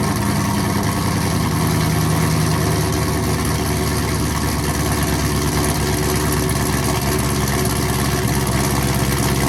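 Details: 2016-2020 Chevrolet Camaro SS V8 after the factory muffler was replaced with a Rev 9 axle-back exhaust, started up: a deep, loud burble settling into a steady, lumpy idle with no ticking or leak puffing; an earlier suspected lifter tick was an exhaust leak.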